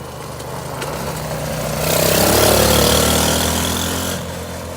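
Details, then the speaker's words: Roadside-rescued single-cylinder quad after carb clean and idle adjustment, fresh petrol and oil: putter around 220 beats a minute, swelling briefly then settling; even, steady idle, running well. "Oh, that's better. Much better. Oh, she's idling mint, dude."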